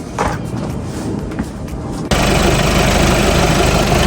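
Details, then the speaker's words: 2.0 TDI (CRLB) VW Passat after cambelt, water pump and auxiliary alternator/AC belt replacement for a coolant leak from the pump, coolant bled: starter spins briefly, diesel catches at once and settles to a steady, even idle, no knocks; normal start and idle. "Right. So, she's all running. Cam belt, water pump, all done along with the auxiliary uh belt for the alternator and the AC."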